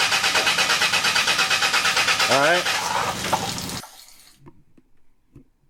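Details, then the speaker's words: Caravan hard start with fuel pressure gauge fitted at the fuel line: steady cranking at about three beats a second that never catches; worn fuel pump flows fuel but cannot build pressure. "The fuel pump is so worn out that it is actually running but it can't overcome the resistance in the fuel lines to generate pressure."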